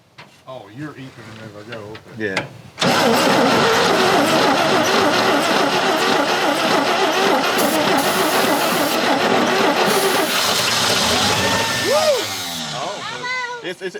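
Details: 1970 Chevy C50 crane truck, 350 CID V8, sitting over 10 years: weak, uneven churning cranking for a few seconds, then catches into a loud, rough steady run; long-stored engine slow to fire.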